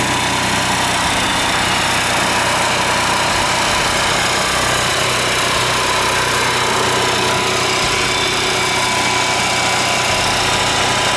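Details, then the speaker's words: Class C motorhome generator that often failed to start, started from outside after fixing the cause, which turned out to be the oil switch: steady even drone with no surging or missing; running smoothly. "that did the trick I'm sure I'm going to try to start it here now"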